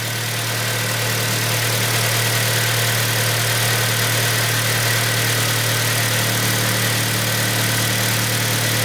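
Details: 2012 Kia Sportage 3 G4KD engine at 76,000 km, just rebuilt after scoring and a knock and first started after reassembly: steady, even idle with a smooth low hum and no knocking or ticking; sounds healthy.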